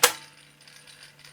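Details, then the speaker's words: Garrard 86SB record deck motor: after the start-up thump, a steady low hum with a faint scratchy rasp repeating several times a second; rotor likely rubbing the coil sides, bearing inspected. "horrible noise coming from the motor just start up and you can hear it that is probably photos rubbing on the sides of the coils"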